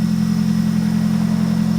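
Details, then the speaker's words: Car started after sitting for months, with a new battery: steady, even low hum, no knocks or misses; smooth, healthy idle. "listen to her purr"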